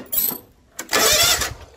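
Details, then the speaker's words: Free non-running John Deere lawn mower, after plugging in a missing switch connector: short burst of quick even starter cranking turning the engine over straight away; normal cranking. "all right it's plugged in now this should turn over immediately"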